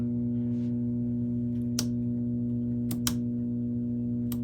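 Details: Sony TC-270 reel-to-reel deck after recapping, hum heard only on the right channel: steady low mains hum with switch clicks, unchanged across left mono, right mono and stereo mode settings, so the right power amplifier is at fault.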